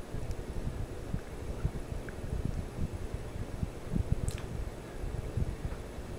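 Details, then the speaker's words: Sears Kenmore/Lasko 52-inch five-blade ceiling fan, likely CEI motor, on medium-high: soft low whooshing with faint rhythmic blade swish like small helicopter blades, no rubbing, ticking or wobble; turning smoothly. "of sounds like small helicopter blades"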